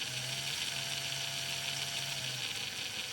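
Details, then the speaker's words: TRX4 RC truck small gearbox with both drive shafts removed; high hissy whine with faint uneven ticking, louder under load, from dry unlubricated transmission gears, nothing damaged, fixed by greasing. "There's still a bit of sound, so I think when it's loaded it's getting louder, so I just have to open up and"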